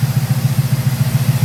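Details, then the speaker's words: 1971 Oldsmobile 455 V8 just started, timing about 10 degrees advanced: steady low rumble pulsing evenly with no stumble or miss; normal smooth idle. "Started right up, Battle. It's only about 10 degrees advanced."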